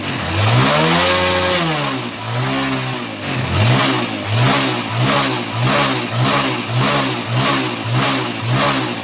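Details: Yamaha Jupiter Z1 engine, reassembled after fixing a previous shop's botched repair and refilled with new oil: crisp repeated throttle blips about once a second, revs climbing and falling cleanly with no rattle or knock; sounds healthy.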